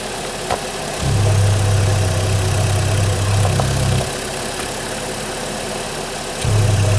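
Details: Holden/Chevy Cruze 1.8 F18D4 just started after a head gasket replacement for coolant in the oil, a pressurised cooling system and a misfire. It starts quickly and idles smooth, slightly fast while still warming up, with an even four-cylinder beat and no knocks or misses.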